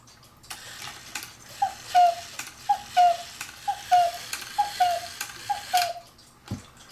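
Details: 1930s–40s Black Forest Hubert Herr cuckoo clock after rebuilding bellows with Tyvek and adjusting bellows lift: five clear two-note calls, high then lower, evenly spaced about a second apart; healthy bellows and whistles.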